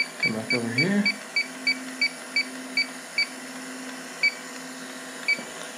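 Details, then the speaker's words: Walk-in cooler with a refrigerant leak, bad compressor and burnt wires, fans off. The leak detector gives sharp chirps about every third of a second, then spaced irregularly, alarming in contaminated air around the coil area; the room is too contaminated to pinpoint the leak. "probably so contaminated in here that it can't get a reference background yeah so contaminated obviously the door open oh yeah look at that she's going nuts up here in the coil area yeah that's not good"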